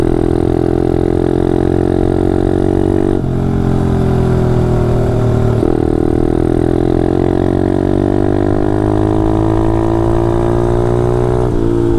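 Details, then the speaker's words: Taotao DB17 125 pit bike, single-cylinder, under way: pitch rises and falls with throttle, with a coarse, uneven edge; running rough, cause unclear. "my bike sounds so freaking bad right now do you hear that"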